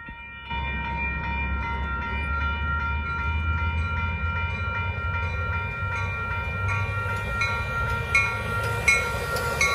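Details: Replaced Union Pacific crossing E-bell, scratchy since 2015, now gives a clean, steady ring about once a second over a passing train, no rasp; a healthy crossing bell after replacement.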